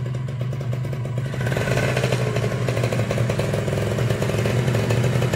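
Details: Kawasaki Ninja SS two-stroke, flood-submerged for three days then restored: sharp crisp rasp climbing cleanly as the throttle opens, even firing with no knocks or rattles, now smooth where it was noisy before.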